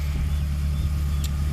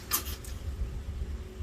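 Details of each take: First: K24A engine swapped into a DC2 Integra with a rebuilt transmission, at first start: steady, even idle with no knocks, ticks or hunting, sounding like a typical healthy Honda. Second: K24A-swapped DC2 Integra on E85, first-ever start after fresh oil change: starter spins about six seconds at a steady three to four beats per second, never catches; crank-no-start.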